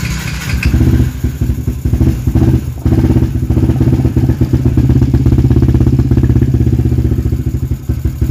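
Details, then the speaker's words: Yamaha LC135 V8 FI single-cylinder motorcycle with an up-spec 62 build, restarted after a loose adapter cover was tightened: it fires up with a few blips, then runs a steady, even beat without rattles; healthy running. "Bobok sangat tu geng."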